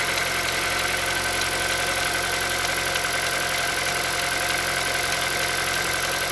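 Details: Hyundai Solaris 1.6 cold start: light, fairly quick ticking knock over the steady engine note at cold idle; engine knock when cold, cause unknown.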